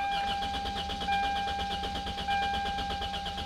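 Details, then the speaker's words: Used car with 240,000 miles, four-cylinder, fuel injection fuse pulled so it won't start, compression gauge fitted in spark plug hole: steady even starter rhythm, each compression stroke alike; healthy crank, 180 psi, good compression. "Then we go inside the car and crank it over a little."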